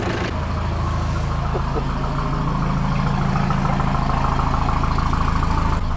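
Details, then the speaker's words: Rebuilt 200 hp HDI diesel, first start after reassembly, no tachometer working: smooth, even idle with a steady low rumble; the earlier top-end "ta-ta-ta" clatter is gone, valvetrain sounds healthy. "mais elle a démarré paul louis au bruit et ça claque plus enfin ça claque comme un auteur qui a pas eu d'une pendant autant mais quel régal on n'a plus le tata tata tata"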